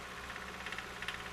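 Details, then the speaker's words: Engine knock heard at the oil pan and crank pulley, more noticeable once warmed up, louder with timing advanced, and changing on a cylinder drop test but not when PCV hoses are disconnected. Faint, regular deep tapping at idle, suggesting a lower-end knock. "the second noise can really be heard at the oil pan and crank pulley and is more noticeable after the engine's warmed up it gets louder when the timing is Advanced and changes when a cylinder drop test is performed"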